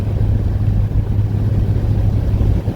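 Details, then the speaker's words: 1986 Oldsmobile Cutlass with an automatic transmission, cruising at 45 mph in third gear before reaching full temperature. Even engine and road rumble with no slipping, clunks or whine; the transmission is holding gear normally. "cruising at 45 mil an hour in third gear no problem"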